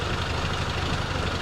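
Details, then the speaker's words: 1952 M38A1 Jeep after carburetor rebuild, ignition timing adjusted by rotating the distributor: low, uneven idle that stumbles and sputters, rough idle from incorrect timing, distributor to be turned back the other way. "It seems to kind of stumble. I think we gotta go back the direction we're going from."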